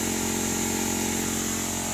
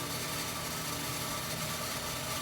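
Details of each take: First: Well system with bladder/pressure tank, pump off, air compressor pushing water out of the tank: steady high whistle above the compressor's constant drone as air rushes through the pressure tank while purging. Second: Well jet pump refilling a new ~120-gallon tank after fixing a waterlogged well, expected to climb back to prior pressure and cut off: steady, even motor hum with faint high tone, no knocking or surging, running normally.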